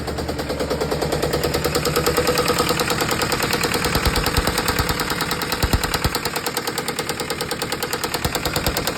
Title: Isuzu 4jb1 knocking sound